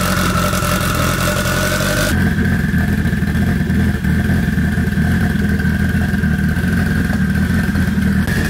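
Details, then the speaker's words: K20-swapped AWD Honda Integra with turbo kit, first start-up before dyno: crisp revs rising and falling cleanly with sharp exhaust pops on overrun; healthy fresh four-cylinder, normal revving with exhaust pops. "hey what did i tell you i i told you it's gonna pop out pretty good"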